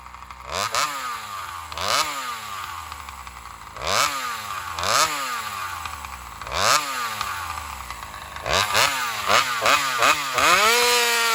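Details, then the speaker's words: Chainsaw running on alcohol fuel, after a fuel line swap, test runs in cuts: revs in short bursts with pitch sagging after each instead of holding; owner believes it is starving for fuel, may try bigger fuel line or metering lever adjustment. "right, so there it is. My assumption, I think, is pretty much spot on. She's just, starving for fuel."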